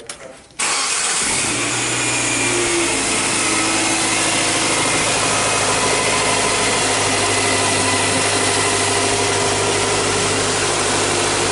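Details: 2008 Nissan Sylphy G11, MR20 engine, P0135/P0141 O2 heater circuit faults: after an earlier blown fuse and harness issues, a short crank catches right away and settles into a smooth, steady idle with no stumbles or misses; a healthy start.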